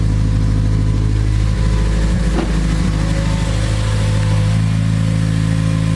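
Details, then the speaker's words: Acura RSX, engine started after test drive: steady drone and even hum, no longer the loud whirring/grinding from the transmission area heard before; transmission now sounds normal. "Normally it would be like this whirring, grinding sound coming from like the transmission area. And it was pretty loud, and you could hear it when you're driving too. Now it's all better, I guess."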